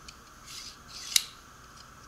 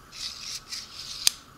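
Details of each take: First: Newer (about 6 months old) six-inch Harbor Freight Pittsburgh digital caliper slide run open and closed: light, even sliding hiss with a small click at each end, no rubbing or catching; moves much smoother than the 3-4-year-old one. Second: Six-inch Harbor Freight Pittsburgh digital caliper, cleaned, zeroed, opened to 100 mm and closed: dry scraping rasp in short strokes ending in a sharp click; slide drags with friction and resistance.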